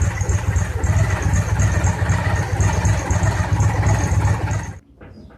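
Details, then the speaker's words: 2002 Victory V92C motorcycle V-twin, cold start after fixing rich running: steady even low idle pulse, less smoke, still smells slightly rich, sounds much better; plugs were sooted from running rich. "not seeing as much smoke come out still smells a little rich but then again the engine is cold so see what happens as it warms up but I think we've made a difference [Music] boy that sounds a lot better"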